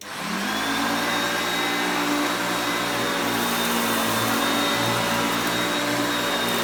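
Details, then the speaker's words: Hoover Concepts self-propelled vacuum after cleanup, cleaning carpet: motor spins up fast and holds a steady even hum with airy rush, no rattles or labouring; normal running. "you put it on the drive for the self-propelled you will hear the motor pitch change as the gears change to me moving it back and forth as you can see there but it's still picking up really well"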